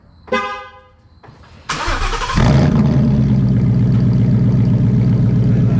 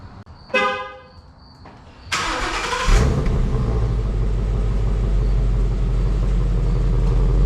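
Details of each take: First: 2017 Ford Mustang GT, 5.0 Coyote V8, started with cat-back exhaust removed (straight pipes) before MBRP S7239 cat-back install: barks to life then loud, deep, raw rumble, about four pulses a second; strong fuel smell noted. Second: 2017 Mustang GT, 5.0 Coyote V8, after an MBRP S7239 cat-back exhaust install: horn toot, then a deep, even rumble on take-off with no drone or rattles; exhaust sounds healthy.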